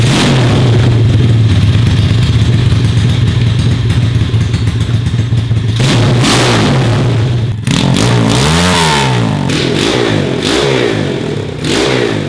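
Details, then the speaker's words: Kid's mini ATV with high-compression 140cc 4-speed racing engine, factory muffler cut off, running open header before fitting a new muffler. Very loud raw crackling bark rising and falling with each throttle blip; open header, no muffler. "but i'm going to fire it up real quick and just listen to it open header no muffler"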